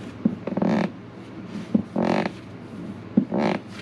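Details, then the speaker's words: Bathroom floor during renovation before adding a 1/4-inch plywood layer: three short creaky squeaks about every 1.5 s as weight shifts underfoot, a loose squeaking floor, planned fix is gluing down the last layer. "You hear that squeak? That's unacceptable. Can't have a squeak like that."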